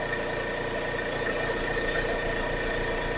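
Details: Air compressor running after repair; before the fix it ran but made no air. Owner swapped a set-screw part for one giving more torque. Even, steady motor and pump hum with a constant pitch and no slipping or clatter; it runs normally.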